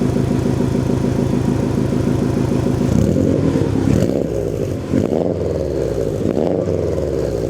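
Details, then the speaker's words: Subaru STI after four months of storage, jump-started: steady even boxer burble at idle around 500–700 rpm with clean blips, oil pressure back to normal at idle; healthy normal idle and light revs. "our oil pressure is back down to normal idle because our idle is back down to right around 500 i think it's around 700 actually it's set too"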